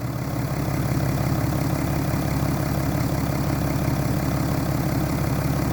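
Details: 2011 BMW F11 530xd with N57 diesel at 367,000 km, idling: a heavy low knock about three per second rides steadily under the diesel clatter, indicating rod knock from a worn rod bearing.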